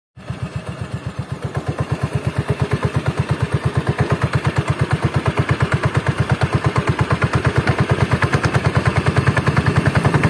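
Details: Carbureted Honda Beat scooter CVT, parts under two months old: low idle with coarse, lumpy rattling pulse, rough at low rpm from the belt drive; rough CVT noise, cause suspected, not confirmed.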